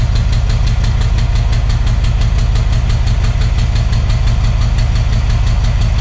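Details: Alsthom diesel locomotive of Thai Railway idling heavily with a sharp, regular ticking knock and black smoke; cause undetermined.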